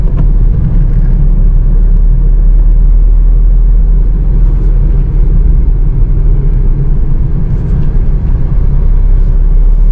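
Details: Maruti Suzuki Alto K10 engine while driving, gear changes described as silent and smooth; only a deep, even road rumble with no knocks, whine or rattle, normal engine running.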